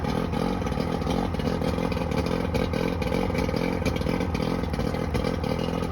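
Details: Johnson 90hp outboard runs with an uneven, stumbling clatter; two starboard-side cylinders misfire, showing no response to starter fluid sprayed on them; bad power pack most likely suspected, not confirmed.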